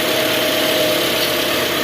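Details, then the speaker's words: Toyota Camry dual VVTi engine, previously rough from oil starvation, just restarted after an oil change: even, fairly quiet smooth idle with a faint steady whirr and no ticking or knocking while oil circulates; normal idle. "Ois, halus guys, halus. Oke, biarkan dia bersirkulasi dulu ya."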